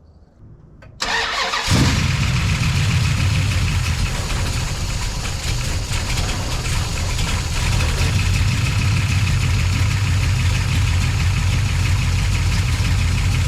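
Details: The General's V8 after plugging in the correct ignition box: it catches at one second and settles into a steady, deep, even idle with a slight lope; lifters were noisy at first.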